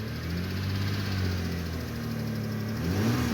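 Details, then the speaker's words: 1999 Lexus ES300 after fuel pump replacement with a Delphi pump and Spectra strainer: quiet, smooth low hum at steady idle with no knocks, misses or whine; check engine light not yet out. "but there we go started up this is quiet quiet it's extra quiet which is [Music] good good to go"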